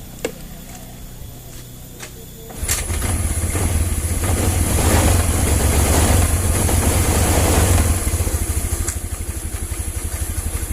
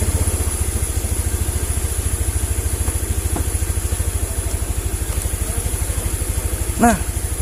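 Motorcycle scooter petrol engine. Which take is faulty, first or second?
first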